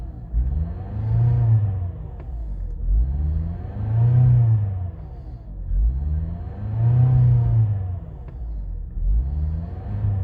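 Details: Mazda 6 after piston replacement, hard to start, revs surge and sink about every three seconds at high idle and never settle; cause unclear.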